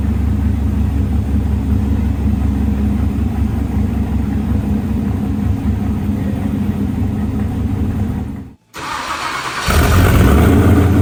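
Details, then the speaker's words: Snowcat with new Texas Speed 408 LS V8 swap, first start, 190-degree thermostat, no exhaust yet: steady low even idle, brief cut, then fires straight back up and runs stronger; great oil pressure; normal start and idle. "Excited about this as me and Nick are, but the thing sounds ridiculous and it fired right up, great oil pressure."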